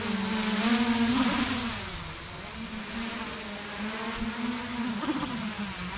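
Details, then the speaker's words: 8-inch FPV drone in flight during field PID tuning, P gains for roll, pitch and yaw set too high: the motor tone wavers and surges in quick uneven wobbles, propeller oscillation after a roll input; fix is lowering the P gains. "so that's oscillation that means we turn the p gains too high so we're going to do is adjust them back down"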